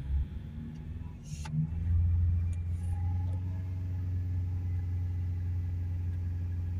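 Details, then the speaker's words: Ford Ranger 2.0 BiTurbo diesel, hot after a 10–15 minute test drive following DPF cleaning, held at 3,000 rpm; DPF pressure about 12 hPa, slightly high when hot. Deep, steady drone with no knocks or misses; normal high idle. "when it cools down that will come down a fair bit so now we'll hold it up on 3,000"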